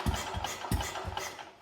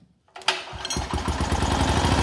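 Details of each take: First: Wheel Horse RS-83 Ride Away Senior, Kohler engine, first start attempts after fitting a new WICO HX magneto coil, points and condenser; top dead center timing uncertain. A few scattered low pops that never settle into a run; fires but doesn't start. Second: Wheel Horse RS-83 Ride Away Sr. single-cylinder engine after WICO HX magneto rebuild with new coil, points and condenser, choke held: catches after brief crank, steady even beat near 3.5 firings a second; normal running.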